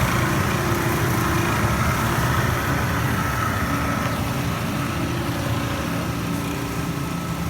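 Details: Panda PAN760SF 3.75 cu ft dryer, after fan belt replacement: continuous rough grinding with uneven chatter over the drum's run; faulty drive motor, noise gone after replacement motor fitted.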